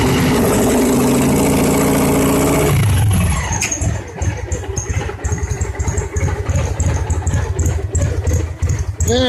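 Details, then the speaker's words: 2002 Victory V92C V-twin after TPS replacement, still with an aftermarket fuel controller on the injectors: runs lumpy and uneven with stumbling beats, very rich; controller later removed and stock injector wiring restored. "here we go let's see how she rolls juice it's fired up [Music] that runs awful"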